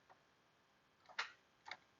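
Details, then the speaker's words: Chevy Trailblazer 5.3L V8 that won't start, battery voltage looking good. Each key turn gives a single sharp click and no cranking: failed starter motor, rather than battery or alternator, which usually give multiple clicks. "you hear that one click usually if it's your battery or your alternator it'll kind of be like like you'll kind of have like multiple clicks but you most of the time if you get one like this go ahead and listen just every time you turn the key one click but no crank a lot of times that is your starter"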